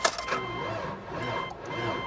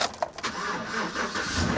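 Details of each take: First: Salvage auction car from Louisiana, cranked on a charged booster pack: slow, dragging starter whir rising and sagging in heavy beats, barely turning over; owner suspects the engine is seized, not confirmed. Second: Salvage-auction pickup, suspected 5.3 V8: short crank, then the engine catches at once and settles into a steady, even idle with no misses; a clean, healthy start, though a head gasket was later suspected.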